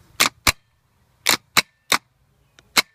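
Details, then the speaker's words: Starter from a 1994 Ford Ranger 4x4 4.0, bench test with jumper cables: a few sharp clacks as the gear throws out, with no spinning whir after. Seized starter motor, bad. "this is what a bad starter sounds like so as you can see the little gear in there is jumping out but it's not turning"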